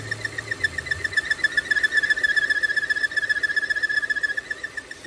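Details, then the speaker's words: 2017 Volvo XC60 idling with idle RPM rising, codes P0507 and P0171 (lean bank 1): a thin, high whistle pulsing about four times a second, rising when the opening is covered; PCV vacuum leak, confirmed with smoke test. "When I close it, see that noise increase. Something leaking right here. I can feel it. Air leak."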